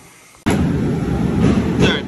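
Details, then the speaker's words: Stock-block 6.0 LS built for 1200 hp on E85: loud, ragged, uneven roar with no clean rhythm; rough running from cam timing found six degrees off, to be reset. "well I was butting it up ready to go home and Facebook told me to check the timing on the cam good thing we did"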